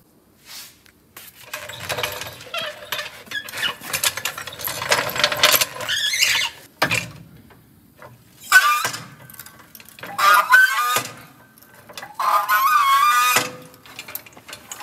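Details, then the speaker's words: Abandoned 1974 Ford F250 Custom 390 V8, out of gas and with no brakes, creeping along: loud high squeals in bursts of a few seconds, likened to a turkey call; source unconfirmed, wheel to be removed to inspect brakes. "um sounds like an animal call one of your turkey calls"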